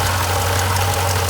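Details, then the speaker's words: Jeep Grand Cherokee SRT (WK2) V8 running with a busy marbles-like rattle over a low hum as the water pump fails; pulley shaking back and forth, coolant misting and leaking; failed water pump bearing. "You could hear what sounded like marbles or ball bearings inside, and you could see that the pulley was literally shaking back and forth, and a little tiny mist of coolant was coming out."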